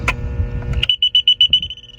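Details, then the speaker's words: Septic treatment plant alarm panel (part 50B135) sounding its test buzzer after replacing the Hiblow HP-80 air pump and panel, with wires doubled to pump and actuator: a click, then about six even high-pitched beeps, as it should. "So the pump goes out or anything's wrong with the pump, the alarm will go off. Everything's working fine."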